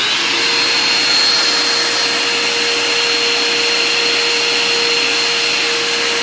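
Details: Bissell Powerforce Compact upright vacuum after cleaning, still with its dirty filter, during an airflow test: smooth, even motor whine with steady airy rush, no rattles; running healthy, airflow improved to about 56 CFM.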